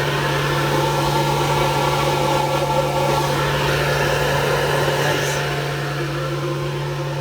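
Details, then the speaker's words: Sea-Doo Speedster jet boat with a 2000 Mercury 2.5 V6: the rear engine-bay blower motor runs with a steady low hum and even airy rush, putting out air normally. "It's my blower motor in the back. Putting out some air."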